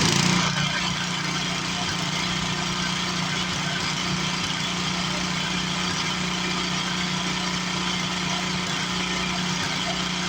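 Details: 1962 Hahn Eclipse rototiller, sat many years in an estate, fired up with a new muffler: small single-cylinder engine catches and settles into a steady, raspy idle with even firing and no knocks; normal running.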